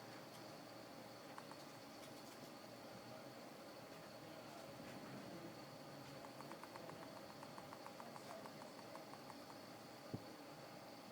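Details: Brand-new iPhone 5 shaken side to side: faint quick thumping rattle, about five taps a second, from a loose battery; pressing the front glass with the palm re-sticks the battery and stops it.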